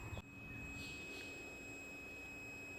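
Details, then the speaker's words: Party barge boat radio fuse tested with a multimeter on continuity: clean, unbroken steady beep as the probes touch, reading zero; the fuse is good. "Alright, this fuse is good. We have continuity. That should be on 0, but you hear the beep. So that fuse is good."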